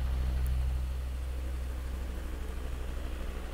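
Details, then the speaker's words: YOTEX 16-inch 5-blade floor fan on speed 3, about 50.5 W: rushing air over a low steady hum with a faint pulsing throb. The blades are slightly unbalanced and wobble in and out a little. "มีเสียงสั่นนิดนึงลองดูพัดลมครับพัดลมก็ถือว่าโอเคแต่ว่ามีความไม่สมดุลของใบพัดนิดหน่อย"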